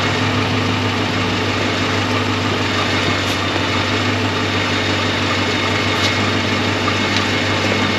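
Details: 2006 Dodge Magnum on its first start after a 722.6 NAG1 transmission rebuild, fluid about a quart short. Steady idle with a loose, tinny buzz from wiggly tailpipes hanging on rubber mounts at the back of the exhaust.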